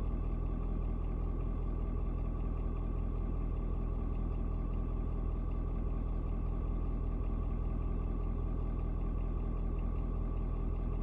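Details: Ford Super Duty 6.7 diesel (Platinum), 56-degree cold start: steady, even clatter with a smooth low rumble, no misses or knocks, after a slight rpm drop (owner unsure if block heater); normal idle.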